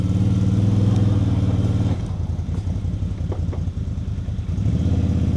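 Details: ATV winch after a shop cable replacement, while respooling the cable: motor drones with a rough, regular low chatter, about three pulses a second, changing as it loads; something wrong inside, cause not confirmed.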